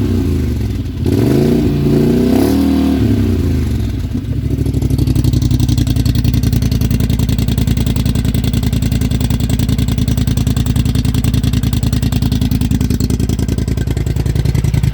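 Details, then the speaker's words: Polaris Sportsman 1000 High Lifter idling after a GSE Trail Tamer exhaust was fitted: a quick rev, then a deep, even exhaust thump settling into a steady idle with no knocks or misses. The heat shield was left off, and it rattled some. "muffler is on I don't know if I should have kept that heat shield on it it kind of rattled some you can kind of hear it"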